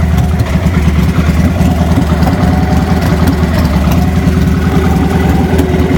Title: Rough Idle & Popping - 00 Victory V92sc